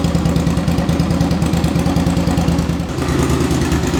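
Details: 2005 Suzuki V-Strom 650 with a very low-mileage replacement engine, run with no muffler: a loud, lumpy open-pipe V-twin picks up revs crisply and settles back with no knocks or rattles; the engine sounds healthy.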